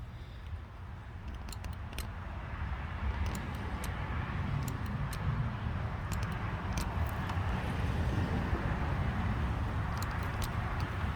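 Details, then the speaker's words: Suzuki Boulevard motorcycle won't crank: pressing start gives sharp irregular clicks, two or three a second, coming from a switch rather than the starter. "you hear that clicking noise is coming from the switch right here i can't film that i don't have a second person sorry no matter how i try i guess from here so when i push that button to crank it's that switch that is making noise"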